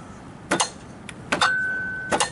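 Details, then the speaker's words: Riding mower with rewired, bypassed safety switches, powered by jumper cables from another tractor: three sharp clicks and a short hum as the electric blade clutch engages the motor shaft normally. "hear that clicking in? That's for the blades. That'll hook on the shaft of the motor underneath there."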